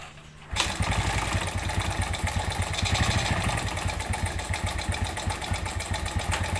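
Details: Suzuki Smash 110 with rough sound and lack of power: small single starts and runs with coarse, clattery rattle over fast uneven beat; worn piston and slack cam chain.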